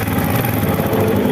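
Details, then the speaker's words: RS 125 motorcycle engine with its block recently replaced: a quick metallic clack on every beat of a busy idle, with no smoke and new valve seals. Engine knocking noise, source not yet found. "Pinalitan niya na to ng black merong lagatik mga bro lagatok pala hindi lagatik"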